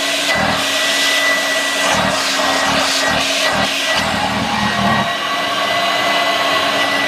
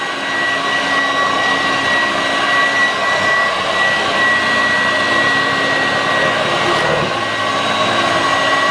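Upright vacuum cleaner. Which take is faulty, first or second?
first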